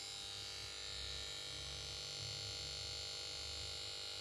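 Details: Samsung PS42A410C1XBT plasma TV goes to standby and plays its switch-on melody but won't start: faint steady high-pitched buzz and hiss from the power board, no other activity.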